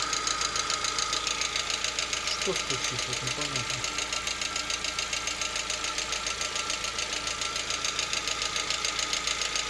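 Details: Lada Vesta, 64,000 km, knock at about 50 °C during warm-up, absent cold and at operating temperature: sharp, regular ticking knock about two to three per second over a smooth idle; source undetermined.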